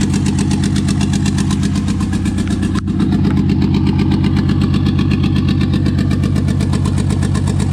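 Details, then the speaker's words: 2JZ six in a 4Runner on twin-turbo ECU, fast idle around 1900 rpm: uneven lumpy pulse about four a second through the exhaust; misfire later traced to injector adapter connectors not making full contact. "yeah we need our fuel pump [Music] sounds like it's got a [Music] [Music] misfire running [Music]"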